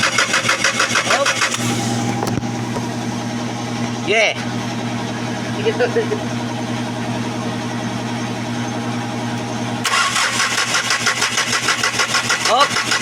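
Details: Hyundai D4CB diesel engine cranking: starter churns steadily about three compressions a second but the engine never catches; crank no start caused by an injector problem.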